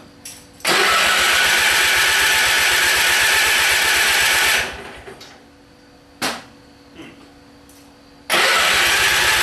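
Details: Simplicity small engine with hard starting, cause unknown: it catches and runs about four seconds, dies, a brief crank fails, then it fires again.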